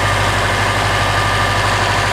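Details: Subaru turbo, cold, after installing GrimmSpeed couplers, pitch mount and turbo blanket, checked for vacuum leak; steady even idle, smooth low hum, no hiss or hunting; normal idle.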